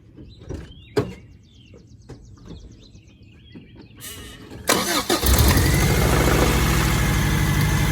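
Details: 1992 Toyota pickup after the charcoal canister and emissions vacuum delete, with the VSVs unplugged: after light clicking the engine fires and holds a fast, steady high idle because one vacuum line is still disconnected.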